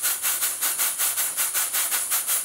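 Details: Professionally built steam boiler feed pump, steam test on a small boiler, slightly leaking: crisp, evenly spaced steam chuffs about five a second, sounding like a locomotive, with no skips or knocks; pump running smoothly and healthily.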